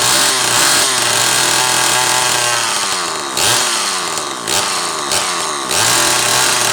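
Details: Zama C2002 carburetor from a McCulloch Pro Mac 800, tested on a 54cc engine with different linkage and no idle screw, so it won't idle; needles turned in about half a turn; crisp revs up and back, no bogging or stumbling; running fine.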